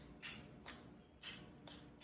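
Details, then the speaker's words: 1991 Honda Accord CB7 transmission solenoid, removed and bench-tested with battery positive on its terminal and ground touched to the body: sharp, crisp clicks each time, in a quiet room, meaning the solenoid is working. "here's how you ground you run it like this you just touch it you hear that quick"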